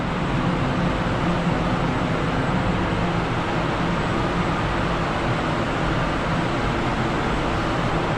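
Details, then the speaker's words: Extraction fan of a newly installed spray booth running during its first spray job. Steady, even rushing roar of air with no rattles, pulses or pitch changes, much quieter than the old booth: normal fan running. "And it's quieter though. I think it's so much quieter compared to my old booth. Amazing."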